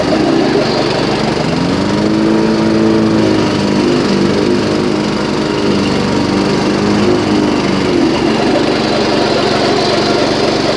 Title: Yard machine first gear belt squeal